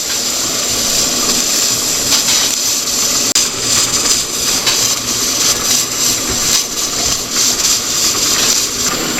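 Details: All American pressure canner, about 15 years old, on a new stove on a high setting, near 240°F with the weight floating: loud continuous hiss rising and falling without a steady jiggle; steam leaking past the lid seal.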